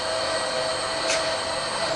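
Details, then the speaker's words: Bridgeport belt-drive milling machine running on its power feed: a steady, even motor whine with no knocks or grinding. The knee has been serviced with new bearings; healthy. "As you heard it, obviously running with the power feed, runs great, you know."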